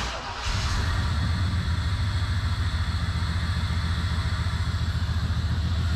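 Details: 1987 Chevrolet Camaro IROC-Z revived after long sitting, good fuel pressure, low battery, started on squirted fuel: catches into low, lumpy pulse about three and a half per second; rough running, injectors suspected.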